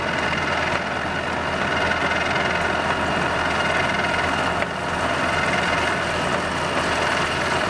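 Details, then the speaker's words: Roughly 70-year-old worn Pacemaker lathe, headstock run in neutral: steady whir with a light regular tick slower than motor speed. Headstock ticking noise; input shaft thought unlikely, input pulley suggested by another person, source unconfirmed. "all right I think you can hear the tick tick tick going there um there's a a tick in the back um it's slower than motor speed so I don't think it's the input shaft"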